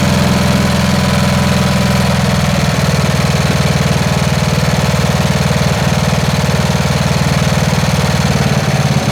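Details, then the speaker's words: Snapper SR-Series with 10HP Briggs & Stratton single, stored 10 years, aftermarket Amazon carburetor being tuned: uneven thumping, skipping beats with sharp pops; missing from exhaust side, suspected lean, and backfiring. Misfiring and backfiring. "it's still it's still missing from the exhaust side and that's probably lean although i don't smell it as lean and then we get it back firing out of this side"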